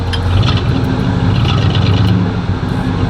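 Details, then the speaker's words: Oldsmobile Cutlass 307 V8 back from mechanic after repair; deep even rumble, exhaust no longer cracking or popping, normal smooth running. "and y'all heard don't crack or don't pop no more because everything good now like I said the car's fixed"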